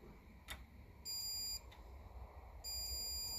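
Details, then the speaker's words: 1957 Ferguson 35 TVO tractor, old Lucas key ignition switch tested with battery disconnected: the continuity meter beep should hold with the key on but sounds twice under a second each and cuts out. Intermittent contact, bad connection inside the ignition switch. "so it should stay on because you expect your ignition to stay on when you turn the key so turn the key there so definitely is like there's a bad connection in there"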